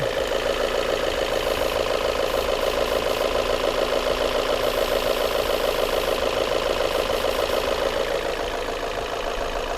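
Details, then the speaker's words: Volvo S40 petrol engine idling evenly with a steady mid-pitched hum, no stumbles or hissing, after diagnosing faulty mass airflow sensor codes and an intake air leak. "ну и сейчас он работает гораздо ровнее никаких подсосов в этой"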